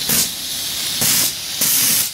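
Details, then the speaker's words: Steam engine boiler at about 120–125 psi: the pop-off (safety) valve starts lifting, with sharp repeating bursts of hissing steam that build toward venting fully; normal release at set pressure. "okay I've got things going here uh it's up to just about 125 120 maybe and you can see the pop off valve just starting over there so it doesn't after a while it just starts going full"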